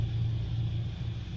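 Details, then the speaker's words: 12/2002 Nissan Pathfinder R50 Ti, 3.3 VG33 V6 petrol, automatic 4WD, 152,517 km, started despite a flat battery: steady, even low rumble with no knocks or ticks; normal smooth idle. "we've got 150 2517 kilometers not too bad and they're up and running very tight in the original there"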